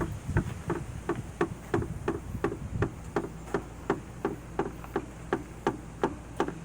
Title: Jeep jk knocking noise resolved